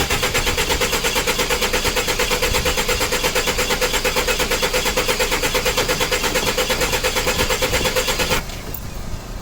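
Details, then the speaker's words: 1985 Toyota van abandoned 11 years, newly hooked-up battery: starter turns the engine over evenly just under three beats a second for eight seconds without catching; cranks but no start, carb cleaner next. "no i wasn't expecting it to start but we got it to crank let's get some carburetor cleaner"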